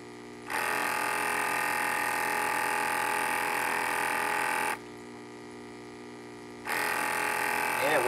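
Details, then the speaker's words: Aquatop battery backup aquarium air pump with an AC power-failure sensor, on two D batteries, no air line attached: unplugged from the wall, it starts abruptly with a steady buzzing hum, stops, then restarts cleanly, running normally. "I don't have the air line for that right now so you see unplug it and it should start right up"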